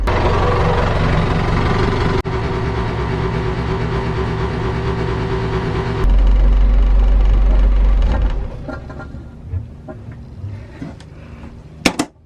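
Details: 1978 sailboat engine after rewiring starter and alternator following a dead starter battery: steady even note with regular thumps about four a second until shutdown; healthy smooth idle.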